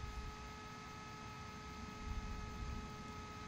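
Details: New Bgears b-Blaster 80mm instrument panel fan bench-tested on a power supply at about 12 volts, drawing about 260 milliamps: steady, even hum with a few clean tones, no ticking, rattle or scrape; running smoothly.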